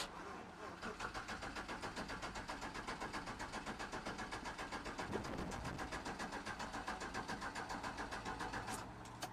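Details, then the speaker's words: 5.3 V8 swapped OBS truck with new fuel sending unit, pump triggered by ECM, power wire suspect, low fuel in tank: even cranking about four beats a second, no firing; crank no start, fuel pump suspected not running. "I do not think we're getting fuel."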